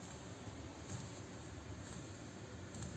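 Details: VW Bora/Jetta 1.4 alternator after repair of a bent rotor and noisy bearings, spun off the car: low, smooth, even hum with no whine, squeal or grinding; runs quietly.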